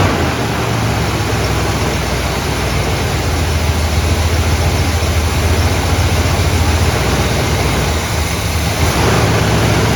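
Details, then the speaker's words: 1972 Buick GS Stage 1 SunCoupe V8, sat about 6 years: low, lumpy idle sagging as if about to die; won't stay running with idle turned down; cause not confirmed. "so far. I just hate the fact that it won't stay running when I take the idle down."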